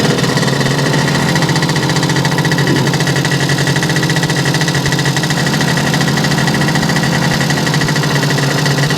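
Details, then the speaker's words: Yamaha YL2C 100 Trailmaster two-stroke, first start after reassembly and float readjustment: a busy, fast idle with a steady buzzing rattle holds on choke, rich and cold, still running on leftover premix; runs a lot better than wide open. "A lot better than wide open, huh? I'm not seeing that spark coming from here yet. Probably will do it as it warms up."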